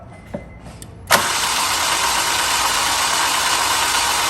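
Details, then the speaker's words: Honda Civic EP3 engine bought online, compression test with oil added to cylinders: fast perfectly even cranking, no compression pulses, still zero; owner suspects head or valves, timing chain to be checked. "No. With oil, still zero. So maybe the head or the valve."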